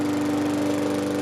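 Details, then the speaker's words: Single-cylinder Briggs & Stratton push mower after fitting a new Lo-Tone muffler (part 394569S): steady high-speed even drone with a clean tone and no flutter, much quieter than before. "Night and day. That's what it sounds like. The muffler on."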